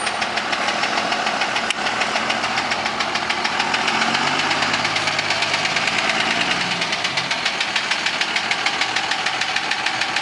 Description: this is a video of my 02 dodge ram with the engine knocking